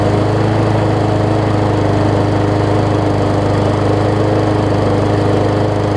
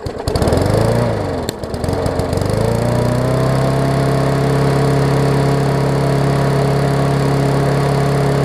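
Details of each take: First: Murray 20-inch 3.75 hp mulching push mower, long dormant with a stuck-open intake valve that was freed, after an oil change with Seafoam, new air filter, primer bulb and pull rope, and the governor vane freed: smooth steady drone, no misses or surging, much better rpm. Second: Murray 20-inch 3.75 hp push mower, long dormant with freed stuck intake valve, first run, old oil: engine catches, hunts briefly, then holds a steady drone.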